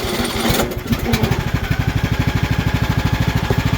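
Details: Craftsman T2400 riding mower after head gasket replacement for oil consumption, driving on rough side hill: steady even thumping exhaust pulses at constant speed, no skips, knocks, rattles or smoke; engine runs healthy.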